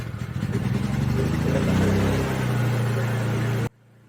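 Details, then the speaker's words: Honda EU3000is inverter generator idling after its factory Keihin carburetor was taken apart and cleaned a second time: engine note swells and sags over a couple of seconds, pitch drifting up then easing, a hunting, surging idle. "The part you're about to see is after the first time I took the carburetor apart, but I lost the footage, so then I had to do it a second time. So after the second time, it was surging,"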